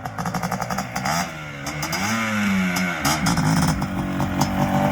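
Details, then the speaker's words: Suzuki LT500R Quadzilla 500cc two-stroke after re-jetting, warmed to about 190 degrees: crisp revs that rise and fall cleanly with almost no sputter or bogging; the jetting is judged good. "see now that sounded good i didn't really hear much sputter i would bet i'd say we're pretty good on the jetting"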